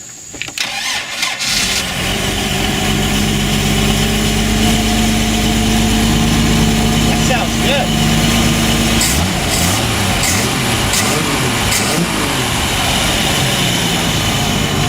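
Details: MerCruiser 4.3 V6 boat engine, new block, suspect rebuilt carburetor, new fuel pump, possible water in fuel: brief cranking then catches into steady, slightly rough idle; hard start, water suspected, not confirmed.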